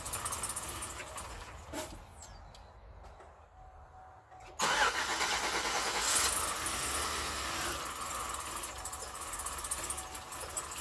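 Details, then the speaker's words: 2008 Chevrolet Suburban, first start of newly installed engine after 5 or 6 tries: engine catches and settles into a steady, even idle with no knocks or misses; running fine. "Success so far, anyway. What do you think? Sound good? It took another 5 or 6 tries, but we got her started."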